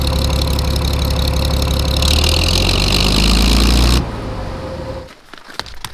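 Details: Old engine-driven air compressor under rebuild, running on freshly added oil and diesel with water in its glycol-leaking cooling system. A steady low chug with an even beat runs cleanly for a few seconds, then shuts down; sounds healthy.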